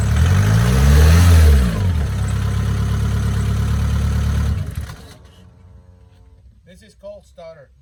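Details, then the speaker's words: Mk4 car, after the starter was removed, greased and refitted to cure a whine after every start: the engine catches quickly, blips up, then settles and shuts off cleanly with no lingering starter whine; a normal start. "because not work but I can hear I can already already taught her uh spins pretty good check it out very nice"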